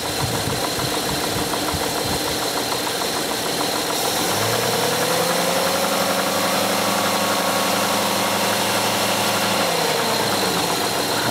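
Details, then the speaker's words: 2001 Hyundai Santa Fe idle problem, coolant sensor reading never above 159°F, sensor being wiggled: rough uneven idle, tone swells and drifts from about four seconds then sags near ten; fault traced to coolant temperature sensor, wiring or sensor unconfirmed. "We definitely identified this as a coolant temp sensor fault that's causing it."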